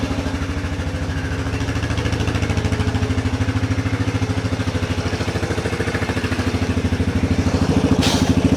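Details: 1994 Yamaha Big Bear 350 ATV, sat for years, just revived and not yet warmed: single-cylinder idle settles slowly after a rev; owner suspects throttle parts are sticking.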